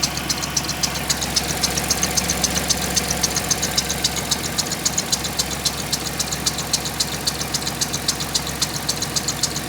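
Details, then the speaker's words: 1996 Grand Caravan after leak repairs, freshly started on old gas: idle drops from over 1000 rpm to an even, smoother idle with light regular ticking about four per second; intake noise noted, healthy sound. "Oh, it's already idled down. Much smoother."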